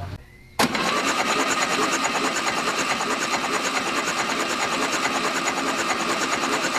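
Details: First start of a freshly built 2054 engine, cold, thin oil: fast, even starter cranking about three turns a second without firing, turning it over to build oil pressure, which reached over 60 psi; normal cranking.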